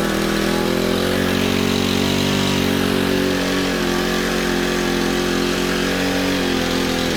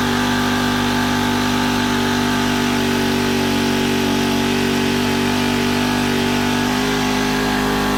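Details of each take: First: Honda FG110 tiller with GX25 engine, owner-fitted Amazon carb that only ran on choke: uneven low loping idle that wanders and sags, never settling; poor idle, suspected untuned carb. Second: Honda FG110 tiller with GX25 engine, previously ran only on half choke after owner fitted new carb; idle turned up high during carb tuning to warm it: steady, even single-cylinder raised idle, no hunting or misses — normal fast idle.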